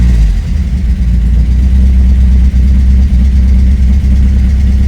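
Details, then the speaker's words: 1986 Porsche 944 Turbo idling after it was started by shorting the crankshaft position sensor circuit with a test lamp: deep, steady, even rumble with no knocks or misses; cause of no-start still unknown. "проблем. Заводится даже на холостом ходу."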